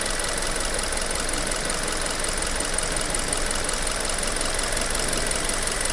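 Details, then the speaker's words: New Hyundai Tucson at 1,500 km after replacing factory oil with GT Oil Energy SN 5W-30; previously a ringing knock on cold start faded when warm: smooth, quiet, even idle with no ticking or knocking; knock gone. "после замены нормально движок поработать очень тихо"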